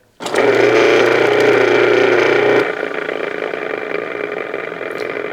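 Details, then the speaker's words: Garbage disposal that previously would not run, first test after teardown and reassembly with a new seal: motor spins straight up to a steady, even hum with no grinding or rattling, normal running. "oh I wasn't expecting that what do you think that sounds pretty good doesn't it"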